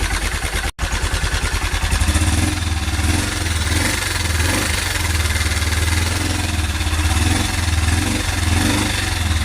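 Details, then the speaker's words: Honda Cargo 150 (CG150) single, warmed up at idle, a month after new cylinder, piston, camshaft, valves, timing chain: steady tapping knock over low rumble, like timing chain or guides; loose cam sprocket bolt, sprocket running crooked, guide possibly worn. "Se aflojó este tornillo del disco que sostiene el disco del árbol de levas."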